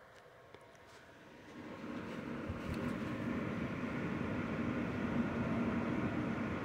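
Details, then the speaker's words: Zotac RTX 4090 graphics card fans at 60% speed under game load (72% GPU utilization), temperature dropping, PC under desk, phone mic: soft rushing airflow swells then holds steady with no rattle or buzz, audible but normal fan airflow. "This is at 60%. Now I am starting to hear something. More than before, but again, 60%."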